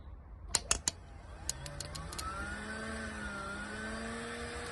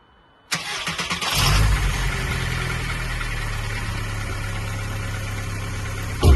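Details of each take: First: VW Golf Mk3.5 cabrio during MOT prep, relay bridged by hand to test: a few sharp relay clicks, then a steady electric whine rises and holds; secondary air pump spins up and runs properly. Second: VW Golf Mk3.5 cabriolet, after crankcase breather pipe work, chasing a vacuum leak before MOT: cranks and catches, settles to steady low idle with faint unevenness; splits in hoses suspected as vacuum leak.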